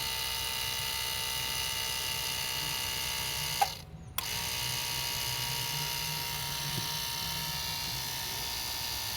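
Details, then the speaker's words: 2008 Mitsubishi Pajero 4M41 turbo diesel with a hydraulic brake booster: a steady high electric whir, a short break near four seconds, then resuming as the pump primes and the accumulator shakes; normal priming, warning buzzer off. "key [Music] on it's priming you can see it's shaking every time the pump goes on and off watch"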